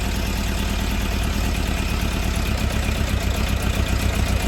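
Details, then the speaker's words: Newly bought Suzuki Bandit 600 inline-four at around 2,000 rpm, choke coming off: lumpy, loping, irregular beat with occasional dropped pulses, missing on a cylinder; owner suspects a fueling problem, not confirmed. "here comes a mire that's what makes you think it's a fueling problem"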